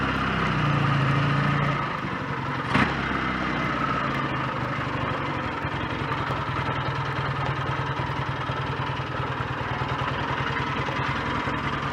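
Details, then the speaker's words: BSA A10 Super Rocket 650 twin, after cleaning the throttle-slide needle and raising it two grooves: light, uneven clatter at about three knocks a second over a lumpy idle, absent when revved; owner suspects the electric starter sprag clutch, unsure. "i noticed yesterday and i can hear it today there's a bit of a clattering noise when it's ticking over which i think might be something to do with the electric starter sprag clutch and gubbins"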